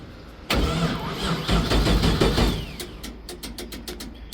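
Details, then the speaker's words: Abandoned LS1 V8 speedway car, first start attempt after years sitting: starter churns for seconds without a single catch, then loose clanks; cranks but won't fire, bad fuel pump or earth suspected. "Still nothing. Wheel that earth or power? Well, it can't be power. Alright, there's something going on. The fuel pump fucked."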